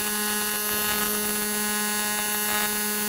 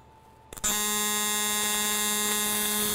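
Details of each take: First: ESAB TIG welding scrap aluminum plate in AC; steady harsh buzz and firm low hum for four seconds, then clean cut-off, from AC polarity switching; normal AC TIG arc. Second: AC TIG bead on aluminum; arc strikes, then steady even high buzz holds unbroken; amperage slightly low, welder says it could use a little more heat.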